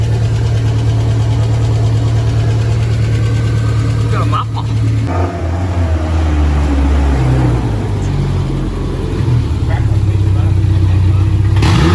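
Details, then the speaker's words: Jackaroo (Jackie) engine, back running after coolant leak fixes: steady, even idle that picks up cleanly when revved and settles back smoothly; no knocks or misses. "i just chucked some wheels on it now suspension's all done she's running sweet new workshop run about"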